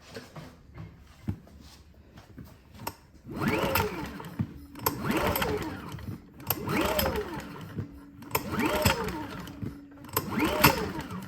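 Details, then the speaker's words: Predator Super Quiet Inverter 2000 generator that sat a while: repeated pull-starter strokes about every two seconds, engine spins freely but never catches; no-start because the intake and exhaust pushrods had come off the rocker arms, so the valves don't open. Fixed by reseating the pushrods and adjusting valve lash. "the push rods are not in the arm so the valves are not opening and closing when we're pulling the engine thus it will not start"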